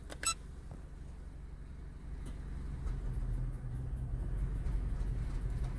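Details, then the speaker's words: Stag WC-03 LPG injectors on a four-cylinder engine running on gas, under the bonnet: fast, light ticking about three per second over steady engine hum, louder than usual; worn injectors making the engine run badly, replaced with a new set. "one zawsze cykają wtryski od gazu ale nigdy za głośno nie cykał"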